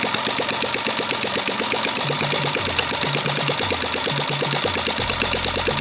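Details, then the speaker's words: Small single-cylinder gasoline water-pump engine, long unused and hard to start, now running; quick steady beat with no stumbling; normal idle. "Được rồi bạn ơi, cuối cùng thì động cơ cũng có thể sáng êm và bình thường cũng sáng chậm được rồi bạn ơi,"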